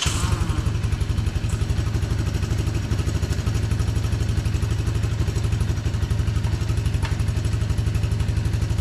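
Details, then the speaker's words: 1982 Honda ATC200 Big Red three-wheeler after years of storage, with new bearings and seals: steady single-cylinder thump about four beats a second, even rhythm, no drivetrain chatter; old bearings replaced, running normally. "Hopefully all that chattery drivetrain noise is gone now, and it very well should be, because, well, we aren't dealing with these anymore."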